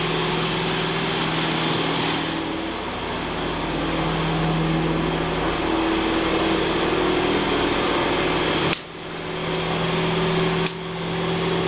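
Steady, even drone with a constant tone and no knocks or rattles; freshly overhauled engine running smooth on the bench.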